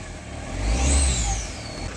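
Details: Mahindra Xylo that would not start, after its locked ECM was unlocked: engine picks up cleanly, swells smoothly through a quick rev and settles without misses or knocks; runs healthy.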